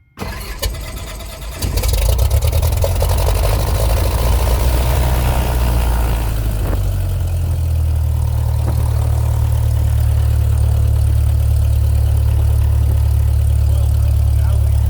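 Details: Cessna 172 engine start with mixture full rich, targeting 1,000 RPM: the starter cranks briefly, then the engine catches cleanly into a steady, even low idle; a normal, healthy start.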